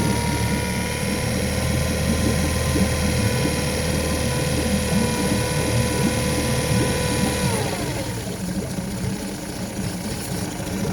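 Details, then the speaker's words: 2007 Mercury (Tohatsu) 8hp four-stroke outboard with a new aftermarket carburetor: starts at a fast high idle, then bogs and nearly stalls twice when the throttle shaft is worked, from a vacuum leak in the throttle shaft. "So as you see, it kills it, and that's what happens when you have a vacuum leak in your throttle shaft."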